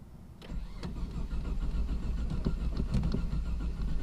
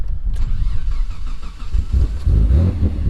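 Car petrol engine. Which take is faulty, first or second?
first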